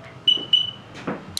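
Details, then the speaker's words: Car alarm module converted to garage door opener, responding to its wireless remote; two quick high beeps about a quarter second apart, then a dry relay click, receiver working normally. "and the wireless you'll still hear it beep beep and click the relay but and then theoretically it would be opening now and you hit it again and you can hear the relay"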